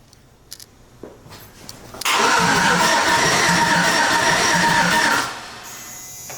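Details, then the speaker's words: OBS truck with LS swap, fuel pump bypassed, engine computer not hooked up: about three seconds of steady starter churning with no catch or firing; cranks but cannot start because the computer isn't connected. "it will not turn on now why cuz it's at the point where it the it ain't going to turn on cuz the computer's not even hooked up"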